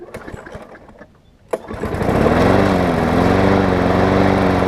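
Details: Toro self-propelled mower with Tecumseh engine after new blade, new air filter, new primer bulb, carb clean and full service; it catches within half a second of a sharp pull and settles into a steady, even hum with no misses or knocks.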